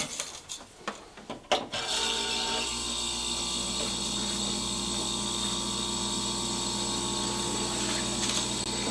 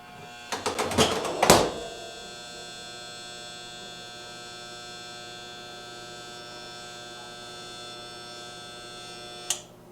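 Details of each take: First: Jenn-Air fridge after replacing RC0410 combination start relay: a few clicks and handling, then steady low compressor hum with constant faint tone, drawing about 2 amps versus 9 before; running normally. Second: Jenn-Air fridge not cooling and clicking: after a few clicks, a steady low electrical hum from the compressor for about eight seconds with no run-up; the compressor hums but fails to start; the combination relay (RC0410) was replaced.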